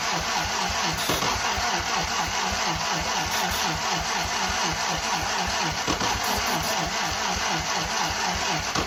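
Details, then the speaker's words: 1943 Willys Go Devil WWII Jeep engine, unrun for decades, on starting fluid: slow steady starter churn at about two compressions a second, never catching. Cables got hot and the battery low; old wiring suspected. Cranking, no start. "It's trying. Starter's not even warm, so that's good. Could probably keep going on it."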